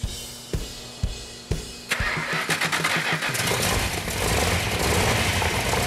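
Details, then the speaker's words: Engine on the engine stand. The earlier no-fire came from a faulty oil-leaking coil, and timing was 180° out and bumped. Now it cranks, catches and settles into a strong lumpy V8 idle with perfect oil pressure and water temperature. "that it's running now it's running great we got all the oil the pressure is perfect water temperature is perfect"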